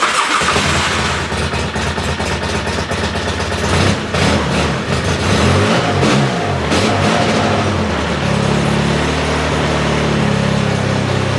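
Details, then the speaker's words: 2009 Polaris Sportsman 800 X2 EFI ATV after battery replacement; brief cranking, catches at once, revs, then settles into steady, even idle; healthy start. "Fires right up, that's the beauty of an EFI."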